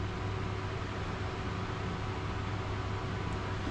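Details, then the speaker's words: Small Drill Master rotary tool on its 12 V, 400 mA transformer: steady even motor hum with constant low drone, no knocks or scraping; spinning pretty good, running normally. "and so you hear it running and it's spinning pretty good"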